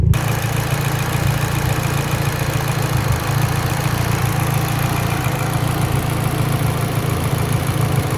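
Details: Mitsubishi Evo X, lean idle: low, lumpy idle with uneven beat and occasional stumbles over steady exhaust drone; idle misfire, cause suspected lean, not confirmed.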